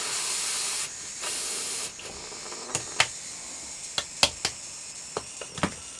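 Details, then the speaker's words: Model steam loco just converted from SM32 to 45mm gauge, in gear: loud steady steam hiss, then scattered soft puffs and clicks with no regular beat; not pulling, water through the piston, owner suspects more pressure is needed. "I'm very surprised nothing's happening but it's not just going to blow this off even more here got Le got water coming through piston now that before don't quite know why this is happening"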